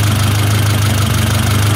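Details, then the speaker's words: 1972 Toyota Celica 18RC with Weber 32/36 carburetor, after valve adjustment: idle mixture screw backed out, low idle with slight uneven pulse and wavering rhythm, still a bit too stumbly. Lean idle stumble, screw turned back in a little. "go back in again in a little hit it might be a little bit too stumbling for me still go in a little more"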